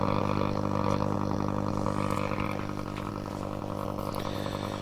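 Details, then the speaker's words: Hacker Herald RP30 transistor radio: low rough growl with steady droning tones under faint station audio; oscillator suspected of dropping out intermittently, possibly via a diode on the tuning gang, a connection or switch contact. "it's picking that up oh there's something funny going on there"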